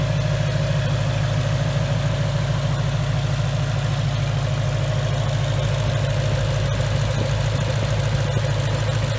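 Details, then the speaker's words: 2019 Mustang GT V8, first start-up session on a newly built engine after a broken piston and melted catalytic converters, breaking in on BR30 oil: a deep, even, steady idle with no knocks, misses or ticks; smooth and healthy. "this thing is running super smooth guys guys this thing is awesome okay guys it's getting late we've been working on the car for a little while just checking everything over and I just want you guys to listen to see how smooth this thing runs"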